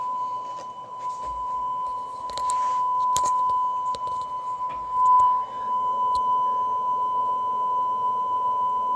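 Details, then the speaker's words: Roadside-found Stern cassette recorder after tape speed adjustment: a clean, steady test tone near the 1 kHz target with no pitch wavering, so tape speed is correct. "so we want almost as accurate as we can 1 kilohertz on this [Music] and there we go that's even accurate"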